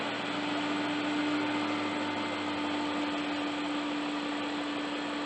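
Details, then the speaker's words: 1999 BMW 540i E39 M62TU V8 idling after timing chain guide and tensioner replacement: steady, even hum with no rattle; owner hears an occasional tap he suspects is a lifter, plus the air pump cycling. "So far, so good. She's sounding good."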